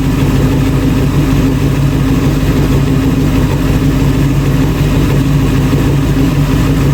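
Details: Restored 1966 Ford Bronco V8, first run behind its transmission after only freewheeling on a stand: deep, steady rumble holding an even idle, no misses, knocks or ticks; normal idle.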